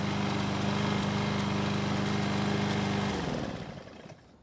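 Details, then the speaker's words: Free walk-behind lawn mower restarted hot after cables fixed, oil changed, blade sharpened and clearances checked: smooth, even single-cylinder drone with no misses or knocks, then clean wind-down at shutoff; normal running. "Well, that's about the best we can hope for on this project, but there's still plenty of life left in it."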